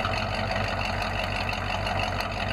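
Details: Ford F5 (American V8) started after a long layoff and a check of engine oil, ATF and coolant: even, rumbling idle with deep exhaust burble, no knocks or ticks; smooth and healthy.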